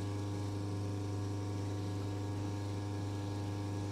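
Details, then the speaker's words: Oriental wall fan on third speed during service, after its screws were opened and oil added front and back: motor now spins freely, with an even low hum, steady whir and no scraping or grinding; sound changed after oiling, running normally. "ನೋಡಿ, ಸ್ವಲ್ಪ free ಆಗಿದೆ, sound change ಆಯಿತು."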